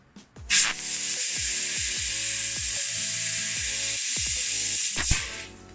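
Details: 500W fiber laser cutting galvanized sheet, shutter enabled: steady bright hiss runs evenly about four seconds without sputter or breaks; clean normal cut.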